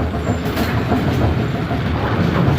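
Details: Bowling pinsetter after reinstalling pin-detecting link and new bell crank, started after stopping at 90° on a strike: continuous heavy mechanical rumble, rattling linkages, even unbroken cycle with no stall or bang; it waited at 180 normally.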